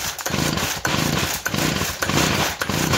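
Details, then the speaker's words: Two-cycle engine with compression tester, recoil pulls: quick pulls about every half second, each a faint puff with little resistance; gauge reads under 10 PSI, low compression, yet engine still runs; cause unconfirmed. "much I mean it's not even getting up to 30 PSI it's not even getting up to 10. you can hear there's a little pressure in there so is that bad"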